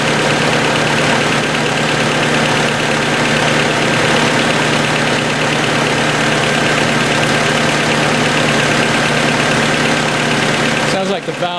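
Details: 1990 Honda CRX DX after ignition coil replacement, aftermarket distributor: steady idle with a faint quick ticking at engine speed; owner suspects valves need adjusting.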